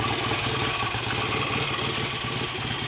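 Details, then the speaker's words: Freshly rebuilt BSA A65 Lightning twin with a replacement crank, first start, ignition timing not yet checked: even, steady idle with a clean, lively beat, no knocks or misses, no smoke; normal idle. "sounds a bit better than it did last time I heard it ringing anyway [Music] hopefully this time the bike will actually be as good as it looks [Music] clean we haven't got smoke all over the place"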